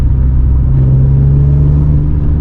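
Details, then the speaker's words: 1997 BMW M3 driving after a crank-no-start fault was fixed. A deep, smooth rumble builds evenly under acceleration with no knocks or misses, and the engine is at proper temperature. Normal acceleration. "Ooh, it sounds, man, it's the way it's supposed to be. Accelerates like a like a BMW."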